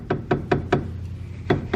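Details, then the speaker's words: PT Cruiser front suspension, wheel off, wheel rocked by hand: sharp hollow knocks about three a second in short runs from play in the worn ball joint, suspected source of a clunk first blamed on the sway bar, before control arm replacement. "that's play in the ball joint now you're hearing and probably some of that little clunking noise"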